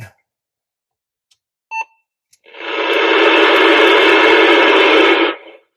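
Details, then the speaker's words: Newly installed CB radio in a work truck, tested inside the shop: short double beep then loud hissing static that cuts off abruptly; owner suspects the shop building, and it is quiet outdoors. "That's not real happy making that sound. So I'm going to take it outside and see if that's just because I'm in my bunker known as my shop."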